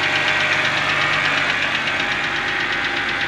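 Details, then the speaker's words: Wrecked BMW 325i E90 (Copart) jump-started cold after sitting a while: light, fast ticking, two or three per second, rides evenly over a steady idle. The owner suspects it ticks because it is cold and is unsure whether it ticked before; source unknown. "and now it's ticking probably because it's cold I don't know if it didn't tick before"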